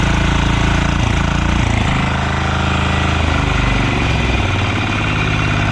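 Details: Yağmur YET 300 single-cylinder tiller after repair, previously tipped over, then misfired, stalled and starter would not pull: steady even thump at low pace, no misses or knocks, holds its speed; running normally.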